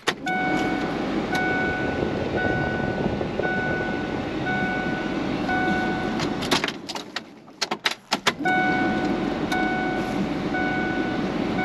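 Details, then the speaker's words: 2000 Ford F150 after fuel tank and strap replacement, pump primed with the key and 5 gallons in the tank: the engine catches and settles into a steady, even idle with a soft chime over it; it works like a charm. "all right works like a charm"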